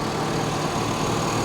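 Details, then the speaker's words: 5.3-liter V8 truck at auction with some rust and valve cover gaskets leaking a little, fired right up without a jump starter; steady, even low rumble with no knocks, misses or ticks; runs better than expected, normal idle. "so listen to this thing this thing runs better than most of my cars I may have underestimated the old girl"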